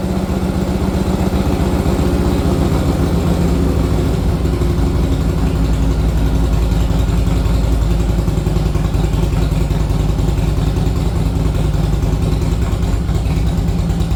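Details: 1961 Harley-Davidson Panhead running rough after a ride, owner first suspected fuel starvation: lumpy uneven V-twin beat that stumbles and chugs through the revs; intake manifold leak.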